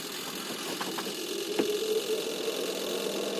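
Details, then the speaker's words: Sharp two-tub manual washing machine whose wash section is dead: the spin-dryer tub turns with a quiet, smooth motor hum and a steady mid tone with a few light clicks, showing it spins normally. "bener ya masih normal ini kita dengarkan suaranya juga masih halus perputaran dari tabungnya"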